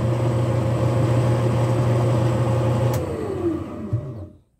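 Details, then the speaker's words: Tanquinho washing machine motor: hums, then the pitch sags and it stops, losing power while washing and sometimes needing a hand start. Owner suspects the motor, a water leak or the capacitor. "vai pegar uma certa força só que depois que tá lavando ele vai parando de novo perde a força e para"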